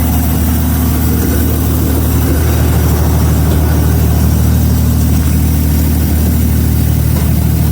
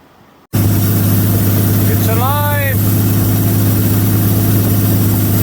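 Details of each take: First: 1933 Auburn V12 Salon Speedster idling after decades in storage; passenger-side bank cutting in and out and popping while the other bank runs well, leaky passenger-side exhaust pipe present; owner suspects the leak and adjusts that side's idle mixture screw. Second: 1933 Auburn V12 Salon Speedster, Lycoming-built Duesenberg-designed 45-degree V12, first start after decades dormant in a museum. Idle set high because it wouldn't idle; oil pressure just over 40 psi, charging 10 amps. Strong, steady fast idle, even beat, no knocks or misses.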